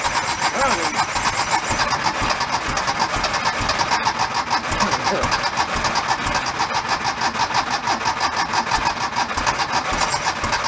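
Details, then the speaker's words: Abandoned 1976 Porsche 914 station-wagon conversion, cranked with fuel dripped in because the fuel injection isn't expected to work; cranking churn breaks into lumpy firing, sounding like it's running on only one cylinder. "I'm gonna give a little bit more and then we're gonna look into only firing on sound like one"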